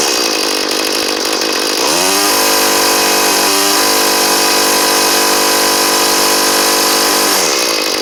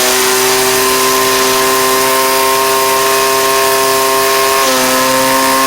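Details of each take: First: Cheap 31cc two-stroke string trimmer after new carburetor and fuel lines, fitted with a heavy four-string universal head; high buzzy scream held down, sounding slightly bogged, likely from the heavy head, then shuts off. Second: Cheap two-stroke string trimmer: it holds a steady, high-pitched full-throttle note, smooth and even with no sag or stumble, running well; only its trimmer head needs fixing.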